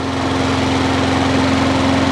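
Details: Wolf 21-inch lawnmower, warm after 3–4 minutes running, restarted after primer bulb suspected as the fault; small single-cylinder engine holds a steady, even idle with constant buzz, no hunting or misfire; normal idle.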